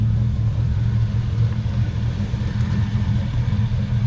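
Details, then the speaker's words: Finished 1957 Metro van with a modern driveline, idling outside with the airbags aired up: a low, steady idle hum with an even beat, no ticking or stumbles; it looks and sounds great. "Looks good. Sounds good. Sounds great."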